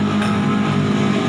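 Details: Yamaha Vixion motorcycle engine: steady drone with coarse, noisy mechanical texture over a low hum; suspected from worn mechanical seal letting radiator coolant mix with oil, or incorrect timing mark setting; unconfirmed.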